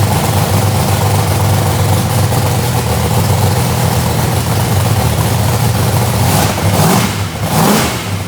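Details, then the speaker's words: Procharged Mustang drag race car, about 2000hp, heads freshly gone through, first start after repairs with starting fluid/brake clean: loud, lumpy big V8 fires and runs strong and steady with a throttle blip, even firing, no knocks or misses; healthy start. "That thing is loud, ain't it?"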